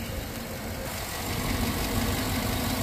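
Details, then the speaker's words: Steady V8 idle with a faint, light lifter tick riding over the rumble, heard just after adding Prolube oil additive while waiting a couple of minutes. The tapping is still audible. "got a little bit of that lifter tap going on and I happen to get some of this stuff in so I said why not let's give it a couple minutes and let's see where we're"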